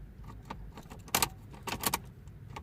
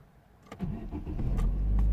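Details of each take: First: 2009 Vauxhall Astra H 1.6 petrol, code P0685: key clicks then steady uneven cranking that never catches, no fuel pump hum at key-on; crank no start from main relay circuit wiring fault. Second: 2009 Vauxhall/Opel Astra H 1.6 petrol, previously crank no start with P0685, after repairing a wire and clearing codes; short crank, then it catches and settles into a steady, even low idle; normal start.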